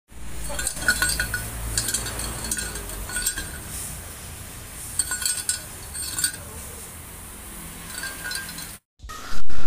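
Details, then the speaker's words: 2008 Suzuki APV exhaust before repair: irregular metallic clinks and tinny "kreng" rattles over low exhaust rumble, from crumbled catalytic converter debris inside converter and stock muffler; both to be replaced. "Dan rontokan katalis masuk ke dalam tabung standar, sehingga katalis dan tabung standarnya bunyinya kreng seperti itu, karena dalamnya ada rontokan katalis ya."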